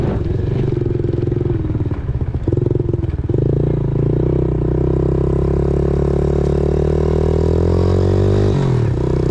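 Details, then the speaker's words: 2000 Yamaha TTR90 single-cylinder dirt bike after repairs (carburetor refitted, chain lubed), started on one kick, outdoors: a couple of quick throttle blips, then a steady even idle with no stumble; runs well, chain possibly slightly too tight. "that seems like it's running pretty good I don't think that turned out too bad chain might be little bit too tight but I got it all lubed up and sitting here idling pretty good"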